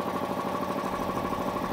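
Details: Air compressor electric motor: steady buzzing hum that never picks up speed, then cuts off; motor hums but will not start, failed start capacitor (starting and running capacitors and overload protection checked).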